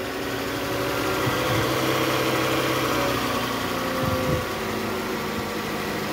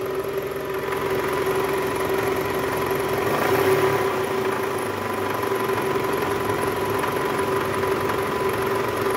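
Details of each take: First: 2008 Toyota Camry XV40, 2AZ-FE engine, after balancer shaft and tensioner replacement and tune-up (previously rough noise at cold start with AC on in R or D, growl from tensioner): steady even idle, smooth low hum, no ticking or rumble; normal idle. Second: 2008 Toyota Camry XV40 2AZ-FE, just after cold start with AC on: harsh, gritty rattle in R or D, disappearing in neutral, also heard when revved, traced to worn balancer shaft gears.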